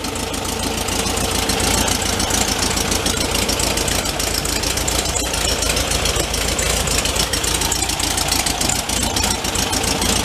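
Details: 1974 VW Thing, 29k miles, sat for a long time; warmed up, after adjusting idle speed and mixture: busy, raspy flat-four chatter at an even idle with no stumbling or hunting. Idle now sounds right.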